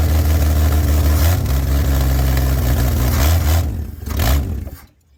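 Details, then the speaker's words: 1964 Chevy Bel Air, long sitting, first run: loud, rough low drone swelling with each throttle blip before shutdown; very loud because the exhaust pipe ends short. "If you wonder why it was so loud, well, that's where the exhaust ends. So there's that."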